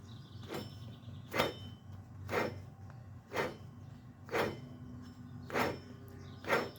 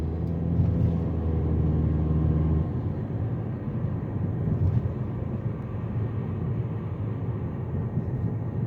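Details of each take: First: Jeep Patriot FWD, rear wheel bearing: wheel off, hub spun by hand gives rough, gritty rasping swelling about once a second; drum shoes still decent. Under vehicle weight at 20–60 mph it gets pretty loud. Worn wheel bearing grinding. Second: Jeep Patriot (FWD) after rear wheel bearing replacement, test drive: steady low road rumble and even tyre roar at cruise with no growl or hum rising with speed; bearing noise gone.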